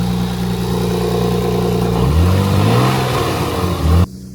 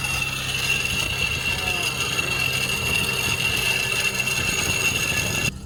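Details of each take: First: Nissan 300ZX Z32 after replacing a bad idler pulley bearing: smooth idle, then a clean rev climbs and drops with no grinding or chirp from the belt side; chewed-up bearing noise gone, normal revving. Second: Nissan 300ZX Z32 idling on a jack: a steady high squeal with grinding and rattling from a seized, chewed-up idler pulley, sounding like a train grinding to a stop; pulley being replaced. Failed idler pulley noise.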